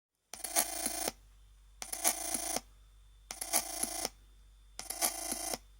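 Four bursts of ringing, phone-like tones, each under a second, repeating about every one and a half seconds over near silence; source unknown.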